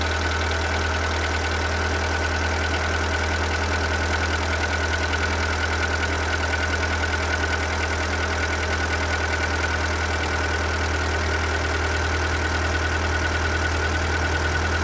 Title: Seat Ibiza 1.4 BXW engine knock/ piston slap